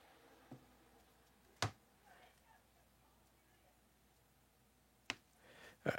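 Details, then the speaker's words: Laptop with no hard drive drawing 400 milliamps on power-up, then shutting off, with a few sharp irregular clicks; cause of clicking unknown, hard drive clicking initially suspected but no drive fitted. "Okay, we plug it in. It's taking 400 milliamps and then turning off. It's also clicking."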